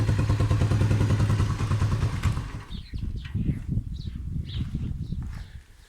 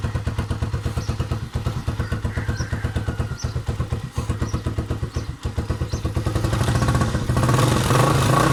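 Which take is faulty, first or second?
first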